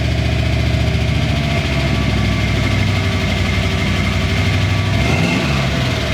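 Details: Ford Bronco V8 with a Chevy 700R4 transmission, which made a serious engine noise after an exhaust cutout was installed: it runs loud and fairly high with a brief drop and surge, the idle sagging after blipping the throttle; owner suspects a vacuum leak.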